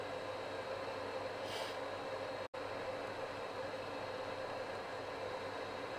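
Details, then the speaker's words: Vaillant boiler on hot water with reduced tap flow, after debris was removed from a rubber pipe and filter: steady, even hum with no banging, kettling or rattling. The boiler sounds healthy and appears fixed. "That may well have fixed the boiler. Which means I get to go and have a hot shower instead of a hot cold tepid thing."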